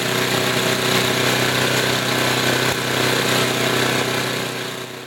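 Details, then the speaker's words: Tecumseh small engine after a carburetor tuning, idle set slightly up from a bit too low: low steady single-cylinder putter with even firing and no misses; normal idle. Later occasional popping traced to a carbon-fouled spark plug. "I'm gonna turn it back down to idle here and this is what a decent idling engine should sound like it's a little bit low so I turn it up just slightly"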